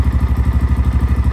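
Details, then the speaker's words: XPro Templar X 250cc dirt bike, cold, after installing a 30mm Nibbi carburetor and loosening a tight throttle cable: quick, even low thumps of a lazy idle right at the edge, under about 1000 rpm; the idle is set barely high enough to keep running, near stalling. "I mean it that doesn't sound like it's over a th000 if I back it out anymore it'll die that's too low"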